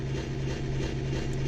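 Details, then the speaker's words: Secondhand Yamaha SY22 synthesizer on headphone and both line outputs: harsh, foghorn-like pulsating low rumble, louder when notes are played, reduced by volume slider, playable in test mode; output noise fault, cause unknown. "So um there's this weird crashing noise that's coming from it when you turn it on. Uh but mostly when you play uh when you play any notes. So that's pretty intense."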